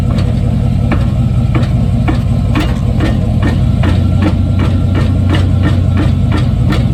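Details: 1995 Chevy Silverado pickup, 5.7, iPhone taped underneath the truck: sharp metallic clunks about twice a second over a steady low engine drone, repeating evenly; suspected drivetrain clunk, source unconfirmed.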